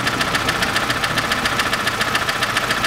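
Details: 2006 Chevrolet Lanos, 1.5 petrol, manual, 342,000 km, before repair: crisp even ticking about 3.5 times a second over a steady idle. One valve taps from a worn, chipped rocker arm.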